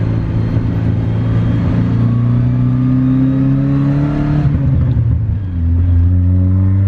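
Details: Starlet exhaust heard from inside the car while driving: a deep, even drone rises smoothly with revs, eases off, then builds again, with no rattles or blowing leaks. Normal exhaust note.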